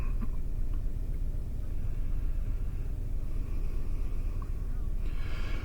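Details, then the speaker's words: 2001 Toyota Sequoia 4.7 L V8, flashing check engine light, rough running and power loss: low uneven stumbling idle, felt shaking; codes P0300, P0307, P0308 show cylinders 7 and 8 misfiring, blamed on failing ignition coils. "yeah i can feel this thing shaking and running rough check-ins and lights flashing and we're going to scan these codes"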